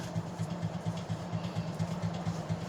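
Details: Vintage Plantation Fan Company ceiling fan with a universal motor, on test: low buzzing rattle pulsing about four times a second over the fan's hum, typical of a loose stationary shaft.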